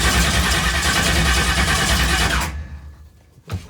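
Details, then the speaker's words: Golf cart push vehicle with newly fitted motor, fuel pump primed, flammable brake cleaner sprayed in, battery nearly dead: starter spins evenly about two and a half seconds without firing; cranking no-start because ignition was left off. "forgot to turn the ignition on it definitely is not gonna change"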